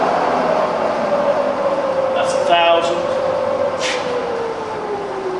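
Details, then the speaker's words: Fully rebuilt Bridgeport milling machine with new gears and all bearings replaced in the head; smooth, clean whine from the head dropping in pitch as it coasts down, no grinding or knocking, bearings and gears sound healthy. "okay so powering up the head look you listen to that it's lovely and loving - I love it"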